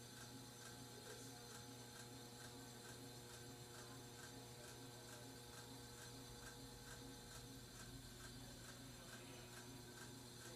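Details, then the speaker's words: 42-inch Aloha Breeze hugger ceiling fan at medium speed: steady hum with a dry ratcheting tick about twice a second; noisy fan with bearing noise and scraping, cause unknown. "bringing up to medium this makes a lot of noise"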